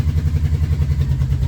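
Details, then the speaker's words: 1989 Yamaha VMAX, cold and warming up on partial choke: lumpy idle with pulses dropping out, engine missing and slowing; bike won't idle without clutch and misfires on acceleration, carbs or spark plugs suspected. "So, I'm going to turn the choke down a little bit while it's heating up. You can hear it kind of missing. You hear that? And it slows down a little bit."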